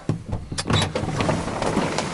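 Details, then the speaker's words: 1986 Chevy K10 four-speed, not started in 9 years: uneven cranking bursts, catches briefly on choke circuit but won't keep running; fuel starvation, fuel supply found completely dry, idle circuit possibly plugged. "Well, h the idle circuit could be plugged a little bit. Actually, the choke circuit was in was working there. So, that was keeping it going."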